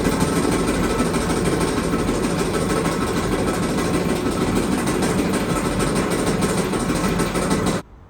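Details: Clothes dryer: constant loud, rough rattling and rumbling while the drum turns, cutting off sharply at shutdown; loud noise from a worn part in the drum drive, to be traced after removing the lid.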